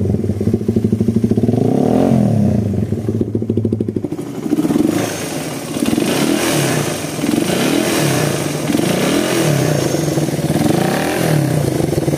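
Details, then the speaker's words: Suzuki Satria FU after service, still on the stock vacuum carb, which previously hesitated at gentle throttle and felt empty when snapped: small revs up and down, smooth and even with no stumble. The hesitation is now cured. "Terus kalau digiring dia jeda-jeda, sekarang sudah sembuh."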